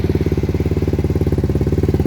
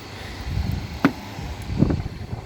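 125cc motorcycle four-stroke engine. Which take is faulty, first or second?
first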